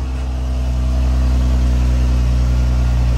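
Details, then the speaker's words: 2018 Dodge Ram 1500 Big Horn 4x4 Crew Cab (E85-capable) idling just after first crank: deep, steady, even rumble with no tapping or knocking; the engine sounds healthy. "okay nice crank up guys i didn't hear no like motor knocking or nothing like that you know what i'm saying"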